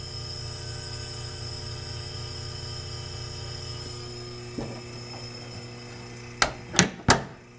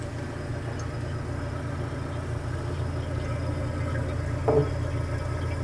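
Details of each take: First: GE Monitor Top DR-1 antique refrigerator compressor running with nitrogen charge on the high side, float valve forced open, unit warm from an overnight heater: steady low hum with faint hiss of gas flow, then handling knocks. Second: Antique GE Monitor Top DR-1 refrigerator after repair, charged with 4 cans refrigerant, high side about 104-105 psi, float warm; steady low hum with faint soft hiss of refrigerant boiling in evaporator, getting ice cold; compressor running smoothly.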